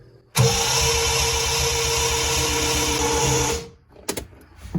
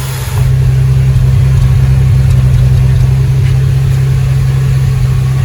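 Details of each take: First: 1975 Triumph TR6: starter spins fast and light for three seconds, an even quick churn with no compression beats, because the cam timing was set wrong; the camshaft was later degreed and retimed. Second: 1975 Triumph TR6 after camshaft re-timing and rebuild, first run: smooth, even idle slightly high, no valve train noise, oil pressure 90 psi, thermostat open; carbs due for rebuild.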